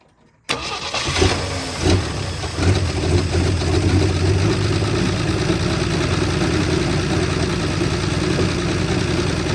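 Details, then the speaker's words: 1973 Jeep J2000 4WD, inline six, 3-speed: engine catches on fuel poured in to prime and runs unevenly with surging beats, fuel-starved because the tank's fuel line had been fitted to the tank vent instead of the outlet. "he put the aend fitting for the fuel line on the vent for the tank"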